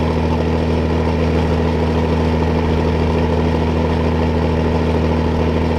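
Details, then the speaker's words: Old diesel needing an added electric fuel pump, hot day, warming up: smooth constant low drone, no tapping, knocking or stumbling; normal idle. "all i need is electric pump all them years man that thing sounds awesome i'll let it worm up a little bit and open it up charge the battery"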